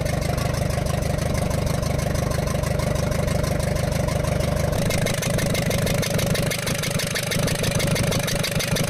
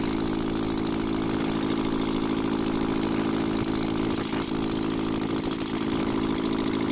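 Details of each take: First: Ashok Leyland Captain 4923 BS4 truck diesel, low pickup and smoke, turbo removed: sharp regular tap about three a second over idle clatter; valve bridge on first rocker from rear fell off, raw diesel from that cylinder. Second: Ashok Leyland Captain 4923 BS4 truck diesel after reconnecting the coupler wires: even steady idle with smooth chug, no knocking or surging; diesel from rear cylinder stopped.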